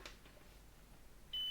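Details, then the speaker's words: Soviet Czajka vacuum cleaner motor after replacing both bearings (16100 and 627), multimeter continuity test on soldered leads: quiet, then a steady high beep; circuit closed, brushes touch commutator, no short to housing. "Myślę że możemy zrobić teraz taki wstępny test połączeń okej jest połączenie tutaj jakiegoś zwarcia przejścia na obudowę nie widzę"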